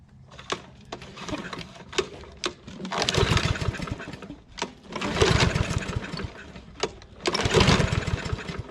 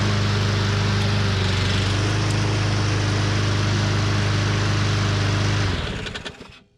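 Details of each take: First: Husqvarna AWD mower, Briggs & Stratton 625EX, pulled from landfill, first start on a splash of gas, auto choke, after 5-6 pulls: pull-start snaps then surging bursts about two seconds apart before evening out; rough first start, owner suspects carb issue or bowl filling. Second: Husqvarna AWD mower, Briggs & Stratton 625EX, pulled from landfill, running on a splash of gas before tune-up: smooth, even steady speed, no misses or knocks, then clean shutdown; normal running.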